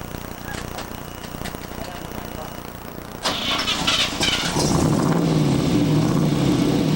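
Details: 1969 Camaro Z/28 V8 after restoration and engine rebuild (crank ground, balanced): quiet, then a short crank before it catches and settles into a steady, even idle with no knocks or misses.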